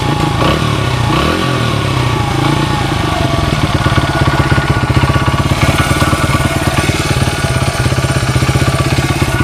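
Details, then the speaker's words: 1994 Honda XR100R single-cylinder after a carburetor rebuild, already warmed: steady, even idle thump with no misses or hunting, clean carburetion. It runs nicely with no smoke. "You guys could hear it. It's a nice running bike. I was after I rebuilt the carb, I took it for a rip snort."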